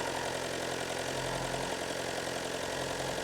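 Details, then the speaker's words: Fiat Grande Punto with the same 1.4 T-Jet engine, cold, on fast idle during a PCV check: even, steady fast idle with a quick regular beat, no knocks or ticks. Healthy; oil cap only very slightly sucked in. "là on est sur ma grande des Punto donc même moteur et là on est motor froid ralenti accéléré"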